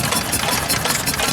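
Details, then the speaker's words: Antique 2-horsepower stationary engine at a steam show: even, brisk chuffing over crowd noise, no knocks or misses; a healthy, steady run. "2 horsepower. Oh, that one sounds nice, doesn't it?"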